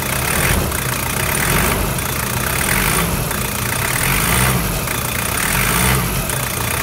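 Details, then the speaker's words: Toyota 1KZ-TE diesel (Prado/Hilux), cold, after injector and glow plug replacement: idles with an even clatter at steady speed, with no misfires or stumbles. Healthy normal idle, with slight cold smoke that is typical of the 1KZ. "beautiful and that's what a 1k z sounds like when it's running in mickey mouse condition and you get a little bit of smoke out of course because it is a 1k z"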